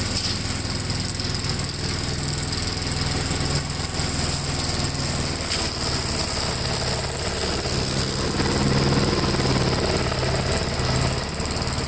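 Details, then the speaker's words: 1957 Gravely tractor during mowing test after air cleaner service; single-cylinder engine pulls steadily under mowing load with even rapid beat and short rise in revs; sounds healthy. "yeah it runs pretty good it did pretty good during the test"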